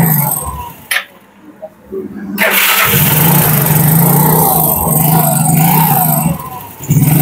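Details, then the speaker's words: Yamaha Mio Sporty scooter that had lost power, started after CVT pulley reassembly and fresh oil: cranks, catches, holds a firm even drone under light throttle, no slipping or rattle; power restored, normal running. "Tuh, Guys. Ada tenaganya, Guys."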